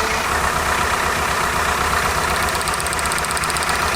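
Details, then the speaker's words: 1998 Toyota Camry with misfire codes on cylinders 2 and 3: idle lopes unevenly, cylinder 2 still not firing after swapping the spark plug; plug and wires ruled out, injector is the next suspect. "Nah, we're still not hitting on 2. So it's not the plug."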